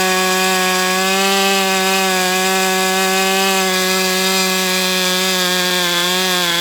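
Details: Brat 28 model engine, carb leaned out after running very rich: steady high-revving buzz with a constant whirring undertone like internal drag; cause unknown, not blamed on the carb.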